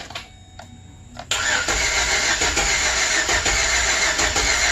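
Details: 2008 Chevy Express van with misfire, Autel scope connected: short crank then fast idle with lumpy uneven beat and periodic stumbles like a cylinder dropping out; cause suspected, not confirmed.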